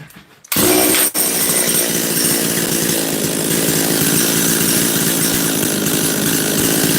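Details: Makita DCS540 chainsaw, carburetor high jet turned half a turn richer after it was bogging; it now holds a steady, crisp, high two-stroke buzz at even revs without bogging.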